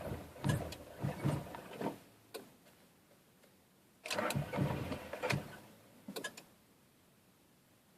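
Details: 1997 Honda Prelude: three short bursts of starter cranking, each a second or two, with no catch or firing between them. Cranks but won't start.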